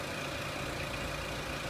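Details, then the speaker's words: 2003 Renault Clio 1.6 petrol after reconnecting a loose crank sensor connector that caused intermittent stalling: smooth, even idle with steady low drone and faint constant whine, no stumbles or surging; running properly. "And it's idling quite nicely now"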